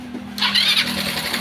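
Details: Rusi Motorstar GY6 scooter after the starter wiring and ground were fixed and the starter refitted: a brief low starter hum, then a bright, raspy burst as the engine catches promptly on electric start.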